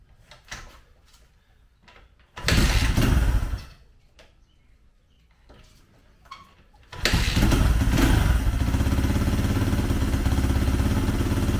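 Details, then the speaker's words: 2004 Honda CRF80 dirt bike after full top and bottom end rebuild, first start without choke: a couple of kicks, then settles to even single-cylinder idle; runs fine, needs a little choke and idle adjustment. "oh yeah she'll run real little choke needs a little idle adjustment but it sounds"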